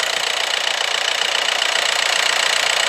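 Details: VW Passat diesel idling after alternator replacement, jump leads attached: even clatter ticking about 220 times a minute, steady with no misses or extra knocks; battery light off, charging at 14 volts; healthy.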